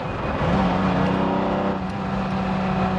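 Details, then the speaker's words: 1973 Lamborghini Jarama S with a 365 hp V12, cruising. Smooth, even multi-cylinder drone holding a steady pitch at light throttle, no knocks or misses; healthy engine note. "oui on sent que tu es pas obligé de rouler vite tu as déjà les vocalistes d'un V12"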